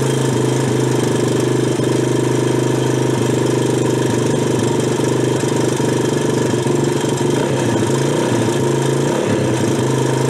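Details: Old Honda ATC 200X three-wheeler, revived after sitting for years, idling with a steady, even single-cylinder beat and no misses or knocks; it smoked a bit on first fire-up, cause unknown, but now sounds healthy.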